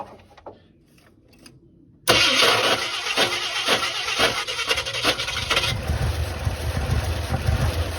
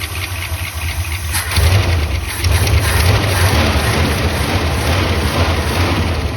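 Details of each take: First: 1976 Ford F-250 highboy, not run in 15 years, after the carburetor was rebuilt for a stuck needle and seat: after a short crank it catches and runs lumpy with irregular chuffs. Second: 1976 Ford F-250 V8, first run in 15 years with fuel fed to the carburetor: after it catches, a steady, even idle with no miss, running on all eight cylinders.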